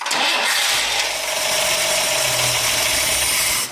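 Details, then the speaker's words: 1962 AMC Rambler 196 cu in straight-six with a rebuilt Carter AS one-barrel carburetor, started cold with the choke not hooked up: it catches quickly and holds a fast, steady cold idle with an airy hiss and no misses or knocks. Healthy. "all right it's idle obviously it's cold and the choke's not hooked up or anything but that sounded like a like an idol to me"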